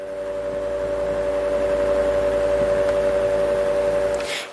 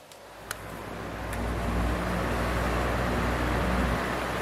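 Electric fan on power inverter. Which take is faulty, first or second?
first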